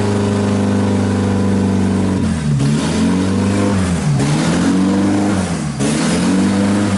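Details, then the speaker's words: 1999 Honda Civic Si, B16 VTEC, higher mileage, refreshed head, first start with exhaust not bolted to main system: loud open-exhaust idle and clean revs rising and falling smoothly, no knock or stumble; smells of old gas but runs fairly smooth. "smells like a lawnmower with the damn old ass gas and [ __ ] in it but uh well [ __ ] it runs sounds like it runs fairly smooth too"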